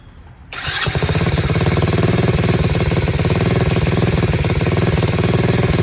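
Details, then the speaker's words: Chinese Tao Tao 125cc ATV quad with new carburetor and ignition switch, after turning the idle screw in half a turn: catches after a brief crank and settles into a steady, even, quiet low putter with no misses or knocks; normal idle. "it awesome how about it fellas running on its own dude it's quiet huh really quiet sounds great"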